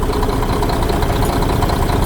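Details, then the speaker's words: Diesel truck with injection pump lines loosened one by one to find a knock: with cylinder one's line cracked the knock disappears and it idles soft and even; that cylinder's injection (pump or injector) is the culprit. "и вот последние уже откручиваем и пропадает стук"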